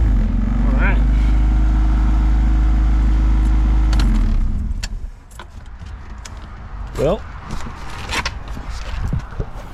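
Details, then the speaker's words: 1990 Honda CRX Si, first start after upgrade work including an Si gauge cluster: catches and holds a steady, even idle for about four seconds before shutting off; smooth, no misfire. "guys, it's alive."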